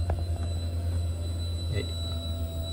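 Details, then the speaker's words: Fuel pump commanded on through a scan tool active test: a steady low electric hum with a thin, constant high whine; the pump is working properly. "hopefully you can hear it yeah but the pump is working"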